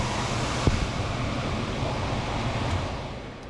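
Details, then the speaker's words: Home HVAC air handler after blower relay replacement: steady even air rush, no more buzzing, fading as blower shuts off; normal operation, previously blower ran constantly causing high humidity. "let it run for about 10 or 15 seconds obviously there's no more buzzing much"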